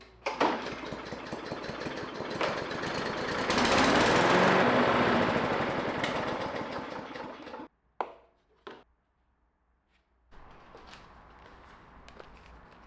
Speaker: All right. So, in about 4 seconds, you'll hear my air compressor give out. And there, that is the manifold just breaking completely.